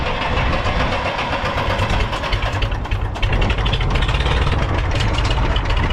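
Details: International 454 British three-cylinder diesel tractor that missed when first started, running in neutral with the air filter removed: even clatter with a steady firing beat, no skips. Normal idle; a dirty air filter caused the miss.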